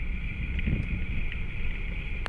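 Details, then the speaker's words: Lincoln Aviator driving with microphone clamped at rear wheel bearings: left rear gives low continuous rumbling growl with faint steady whine behind it, right sounds fine, growl noted on throttle tip-in; worn left rear wheel bearing. "Right doesn't sound too bad. Left, got some growl. When I tip in on the gas"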